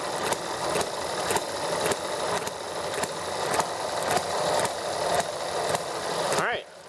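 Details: ETX small model four-stroke engine, first startup after a valve job: started easily and ran nicely about 10 minutes with a fast, steady buzzy drone, then drops off near the end; normal running.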